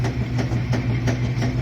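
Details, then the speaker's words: Admiral washer after lid switch (WP8318084) replacement, lid closed: even low motor hum with steady rhythmic swish about three times a second, no grinding or clunks; agitating normally with the new lid switch. "this is working correctly with the uh new lid switch"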